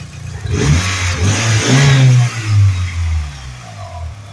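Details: Modified 1G DSM turbo with fuel pressure set to 50 psi and boost controller around 12 psi, running after a no-start traced to a clutch safety switch whose rubber stopper fell off; engine blips up and settles cleanly, even, no misses or knocks: normal revving.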